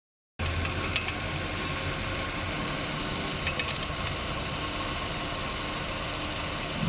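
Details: 2003 Ford Escape at idle after the alternator bearing was replaced to cure alternator noise: steady, even idle hum with no whine or bearing growl; normal idle.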